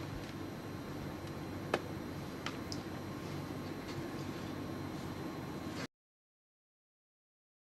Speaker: so as you can hear not making any high-pitched whining sound it just sounds it just sounds like an ordinary aia cooler the pump